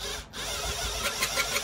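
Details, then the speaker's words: Cylinder mower being backlapped: drill on the sprocket turning the reel slowly clockwise, light even high-pitched whir with faint ticking, then the noise changes as the grinding paste starts working; reel spinning freely during sharpening. "all you're going to do is go back around and paste in and you can hear that noise change and that's just the grinding piece starting to work"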